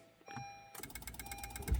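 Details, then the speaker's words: 2016 Honda HR-V, no crank no start, brake on while attempting start: fast steady buzzing chatter of relays clicking abruptly and continuously; relays cycling rapidly, cause suspected weak or faulty supply, not confirmed. "And the car is going nuts."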